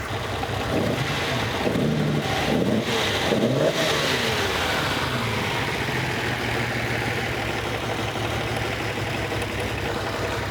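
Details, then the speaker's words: 6th production Lamborghini V12 revved loudly with an uneven, stumbling beat under the roar, running rough as if dropping cylinders; the attempted trick is not working and a new set of spark plugs is suspected to be needed. "Yeah, it's not. This trick is not working. I think we're going to have to put a new set of plugs in at full stop."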